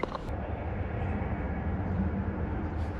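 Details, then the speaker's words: Acura TL before repair, flashing check engine light, running rough and smelling rich at startup; scanner later reports cylinder 6 misfire: low idle rumble with an uneven, stumbling, missing beat; cylinder misfire. "assuming it's a misfire uh it's uh it's running real rough and check-in tonight is flashing so that's usually not good when it's flashing"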